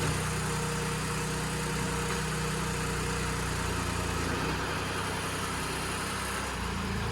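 Engine idles and pulls away with a settled, even low drone and no knocks or rattles; it sounds healthy.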